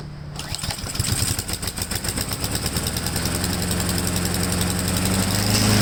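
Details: Honda-powered Husqvarna mower: catches and settles to an uneven, hunting beat instead of a clean run; owner doubts the choke, suspects the carburetor emulsion tube needs removing. Cause unconfirmed.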